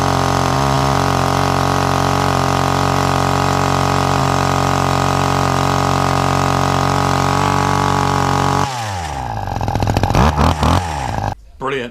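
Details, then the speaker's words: Hedge trimmer two-stroke with new carburetor after tightening the loose carb bolt, started without choke or prime: steady even high-pitched buzz holding speed without hunting, then winds down; normal running. "Super super happy with that. I didn't think for a minute that carburetor was actually going to work, but it primed well and it runs not too bad at all."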